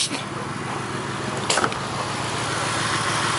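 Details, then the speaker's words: 1999 Mercury Grand Marquis P71 4.6 V8 ("Willie") idles lumpy with an irregular stumble and faint hiss, shaking; developed in cold weather; misfire, owner suspects an intake vacuum leak. "okay now you can tell he's definitely missing so I think our"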